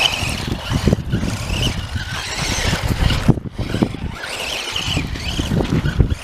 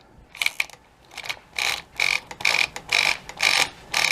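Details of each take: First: Axial Yeti Jr RC car on first drive after its front differential's stripped gears were hot-glued solid (locked), battery somewhat weak: motor whine and tire scrub over ground, the earlier drivetrain clicking now gone. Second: Axial Yeti Jr RC truck front open differential with stripped gears, present almost since new, rear fine: loud rapid sharp ratcheting clicks in bursts about two a second while running; fix is replacing the diff gears or gluing them solid.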